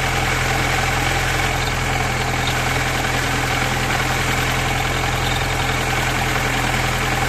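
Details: VAZ 2108/2109 with the engine idling: a steady hum with a thin whine over the engine note, checked as a possible worn clutch release bearing, though this is not proven.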